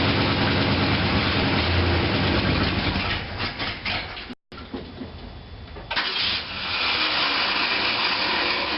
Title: 1966 Mercury Park Lane 390 Grumpy cold start no choke exhaust leak